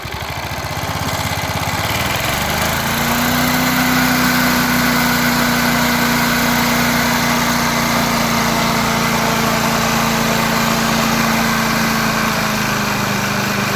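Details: 36-year-old rebuilt mower at half throttle, fuel tank cleaned and filled, spark plug cleaned: engine catches and settles into steady, even drone, clean constant note, no misses or knocks; normal running.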